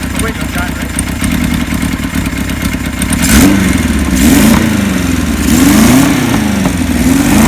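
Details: 1976 Kawasaki KZ900 engine with a new cam chain replacing a loose, noisy one and new gaskets, oil tight, smoking slightly on one-step-colder plugs: a steady idle and clean revs with no top-end rattle, so it runs normally.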